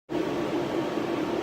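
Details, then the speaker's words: American Standard furnace blower motor: steady rushing airflow with a rough, wavering mid-pitched hum, shaking the whole unit and slowly coasting to a stop at shutoff; noisy blower, motor to be removed. "so blower motor the blowers making noise it's kind of shaking this whole thing when you when it shuts off you would hear the fan and slowly come to a stop"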